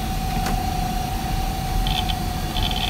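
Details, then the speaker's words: Twin Head Slim Note-486E laptop (486DX 33 MHz, 640K), estate-sale find from a water-damaged building, at power-on: faint steady whine over soft hiss, no clicks or scraping; hard drive spinning up normally during system check. "so we're going to hit the power button there and you can hear the hard drive spinning up on it and it's going through the system check there"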